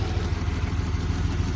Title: Spark plug wire shorting causing misfire on Hyster vortec v6